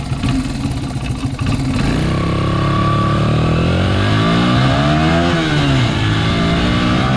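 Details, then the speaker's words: Honda XR80R dirt bike, the good bike of an identical pair, on a 100-yard full-throttle run: strong engine note climbs smoothly and stays clean with no stumble or bog, with lots of power through the throttle. The problem bike had an undersized main jet. "Yeah, so there you go. It's a totally different driving experience. You know, lots of power all the way through the throttle. Just more power in general."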